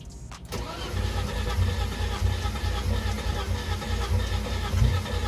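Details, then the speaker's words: BMW E30 being rebuilt after a wreck, first start after tightening a hose, on a weak battery: brief slow cranking, then the engine catches and settles into a steady, rough-edged idle; engine starts and keeps running. "Yo, it started!"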